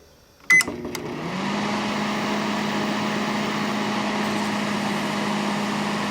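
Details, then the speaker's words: Panasonic inverter microwave after troubleshooting, running with a water load: a switch click, then a steady, even low hum with fan noise. Normal operation, already steaming. "yes that works just fine steaming already"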